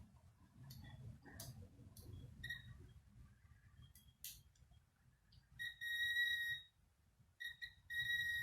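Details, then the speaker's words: Acura TL 3.2L fuse check with digital multimeter on lowest ohm/continuity setting: short high steady beeps each time probes bridge a fuse, quiet clicks between; continuity tone confirms fuses good, not blown. "So what I did is I'm just going to show a couple here, and you'll hear a little humming."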